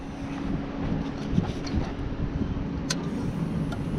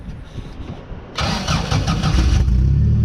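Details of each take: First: Toyota Land Cruiser that sat with varnished fuel, after the seized electric fuel pump was freed with brake cleaner and tapping: at key-on a steady low hum under the outdoor rumble for several seconds, the pump priming normally. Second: Sand limo cruiser starting after a seized fuel pump was freed with brake clean: about a second of weak cranking, then it catches into an uneven rumble; hard start, with old bad gas still in the system.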